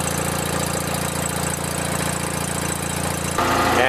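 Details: Toro Wheel Horse 416H lawn tractor with opposed-twin Onan engine, cold start on choke: catches and settles into a steady even putter, no misses or knocks; normal cold start idle.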